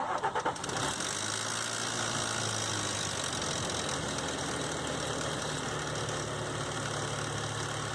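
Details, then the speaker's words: 2005 Nissan Xterra VQ40DE V6 cold start; light, busy rattle over idle, from timing chain slapping after tensioner guide hook stopped riding on the tensioner, owner believes; fixed by replacing chains, guides and all three tensioners; timing chain rattle. "So I don't think the chain was getting tension like it should, and it was kind of slapping around like that. I believe that was the cause of my noise."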